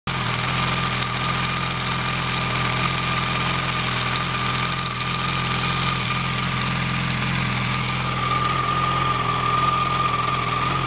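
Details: Yamaha R1 motorcycle idling with a loose, busy rattle over the engine note; it goes away when the clutch is pulled in or throttle is applied, and the cause is unknown.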